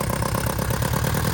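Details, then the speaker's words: Abandoned Hyundai non-runner with fuel injector pulled from rail: uneven, lumpy, barely-running idle that dies when inlet blocked; engine runs only with injectors unseated, suspected lack of air to inlet despite fuel supply. "so it's it's been getting fuel all along but it hasn't getting air to those to the inlet"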